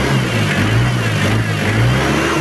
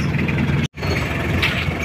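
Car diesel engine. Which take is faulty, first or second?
first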